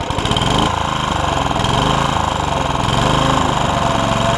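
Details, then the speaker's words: Honda HR194 commercial-grade push mower, single-cylinder, just after a new ignition coil fixed its no-spark. It fires quickly and settles into a steady, even drone with no misses or knocks. The throttle is a little lazy, traced to a spring that is not right. "you hear how good it was the throttle's a little lazy but I'll show you why"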